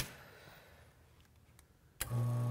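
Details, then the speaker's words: Espresso machine rotary pump that had seized and only hummed, after freeing its shaft by hand: near silence, then the pump kicks in with a steady, even low hum and runs freely; normal rotary pump running. "there's a there she goes problem solved"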